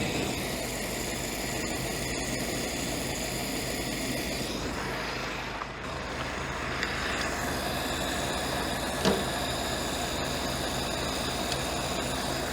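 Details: Ford-script Willys WWII army Jeep, after cleaning the blocked carburettor idle jet that had caused no idle: steady, even idle holding without hunting or stalling, only a brief dip midway; normal idle.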